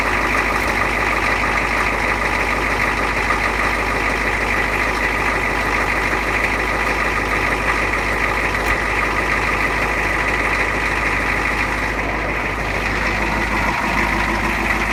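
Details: Ford 6.9 IDI diesel cold start at 29°F with new injectors and injection pump, freshly timed; steady, even diesel clatter at cold idle with no misses or knocks, a normal healthy cold-start idle.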